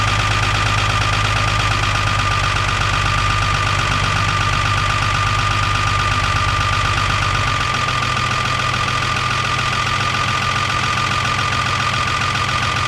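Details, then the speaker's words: 1975 Chevy pickup with an Isuzu 6BB1 5.4L diesel, after the injectors, found popping off too low, were adjusted and the fuel system bled. Steady, even diesel clatter at idle with a slight leftover shake; now idling normally. "Oh yeah. Uh I mean I wouldn't say it's completely without vibration but it is"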